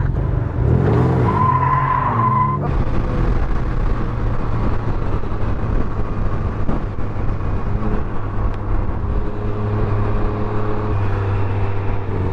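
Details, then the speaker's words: Can-Am Ryker riding: a brief high brake squeal rises over engine and wind early on, then only a steady riding drone; rider says its brakes squeak all over, cause not confirmed. "Brake squeaking. Yeah? Yeah. This shit squeaks all over."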